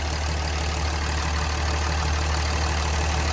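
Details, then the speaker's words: Cummins diesel single cab truck, about 215k, after repair including possible crankshaft position sensor replacement: steady, even diesel clatter at idle with smooth low rumble, no misses or knocks; engine running healthy. "I fixed this truck for free, technically. If we want to count that, I spent $50 and a little bit of time. This engine sounds absolutely amazing."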